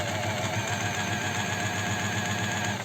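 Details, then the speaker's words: Astralux M10 sewing machine that hums but won't sew, after repeated oiling: runs fast with a thin squeal over its clatter, then stops abruptly; oil not yet penetrated, mechanism still binding. "слышите как она еще скрипит как несмазанная то есть масло еще не проникла потому и надо включать на подачу подклинивает"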